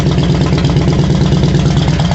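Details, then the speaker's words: 2001 Harley-Davidson Road King, warmed up after new plugs and air filter (previously wouldn't idle and backfired): deep, lumpy V-twin idle with even firing beat, no misses or pops; normal idle. "I mean she was a mess she just needed some really good attention I think but yeah it sounds really good I already let her warm up sounds good"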